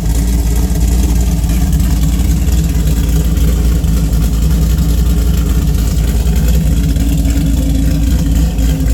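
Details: Engine with custom cam (222/226 duration, .629 lift, 112+3 LSA), cat-back with mid muffler, stainless headers: lumpy uneven exhaust beat stumbling through revs and idle beyond normal cam chop; bad misfire, cause unconfirmed.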